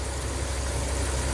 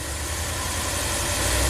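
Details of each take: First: Ram camper van with stalling after hot soak, minimum airflow test with IAC shut, coolant 150°F: low, steady, even rumble with no misses, surges or hunting, IAC steps under 30; healthy idle. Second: Ram camper van with 5.2 fuel injection that stalls after hot soak; at slight throttle the IAC drops as if at idle: steady low idle hum, then revs sag and the note drops before recovering; throttle bores found black with carbon.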